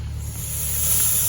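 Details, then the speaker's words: Yamaha Grizzly 550 leak-down test at 90 PSI in, holding only about 37 PSI; steady airy hiss from the exhaust suggests leaky valves, some air also via intake, none via crankcase or radiator, head gasket and rings believed fine. "you can hear that, coming through my exhaust. So it looks like I got leaky valves."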